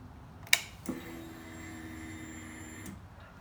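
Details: 2011 Honda CB400 after a fuel pump replacement with the tank refitted and refuelled. A click, then a steady, even hum for about two seconds that stops cleanly. Normal fuel pump priming.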